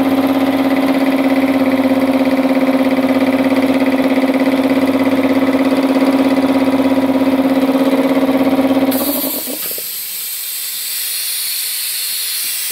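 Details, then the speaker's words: Multipro 2 HP electric air compressor: pumps at a fast even beat about 200 per minute, then cuts out into a steady hiss; air leaking at the pressure switch and compressor head. "हवा pressure switch से लीक हो रही है। हवा pressure switch और compressor head से लीक हो रही है ।"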